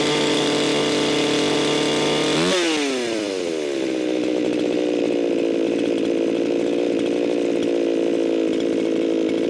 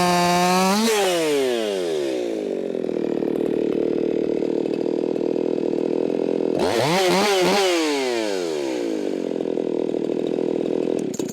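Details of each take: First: Echo 4910 chainsaw, barely warmed after long storage, tuned by tachometer: thin screaming wide-open pitch jumps to 15,000 rpm, drops after two seconds then holds; mixture far too lean. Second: Ported, muffler-modded Echo 4910 chainsaw cutting wood after being tuned in the cut, about 14,800 RPM: high, steady scream that drops and bogs as the chain bites, then recovers cleanly; clean-running tune.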